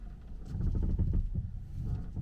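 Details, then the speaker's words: Tesla Model 3 stationary, steering turned in drive or reverse with foot off brake: irregular low creaks and groans front and rear, nearly gone with brake pressed, absent moving forward; owner suspects brakes, not steering or suspension. "creaking if we drive forward no sound so it only happens when you're stationary and you haven't got your foot on the brake"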